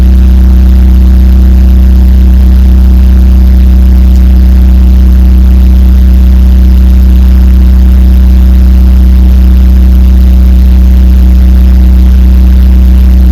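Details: 2004 BMW 318Ci N46B20A engine after valvetronic actuator motor replacement, new valve cover gaskets and actuator relearn. A steady, even low hum with no knocks or misses; smooth, healthy idle.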